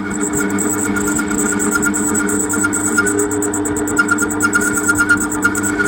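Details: Homemade mini metal lathe: steady, even motor hum with a clear whine and a light high hiss throughout, no knocks or grinding. The lathe is running normally.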